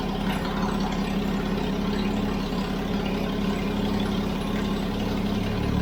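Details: Toyota FJ40 Land Cruiser first start after purchase, throttle stuck, no choke, no oil pressure shown on gauge: steady, loud low idle rumble with a rough, raspy, unmuffled edge; big hole in the exhaust.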